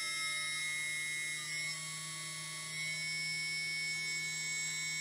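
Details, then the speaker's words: TBS 900KV brushless motor number two after repositioning black electrical tape balance weight: clean steady high whine, smooth hum, no wobble; near-perfect balance, barely any vibration. "that's about Perfect Balance no barely no vibrations at all"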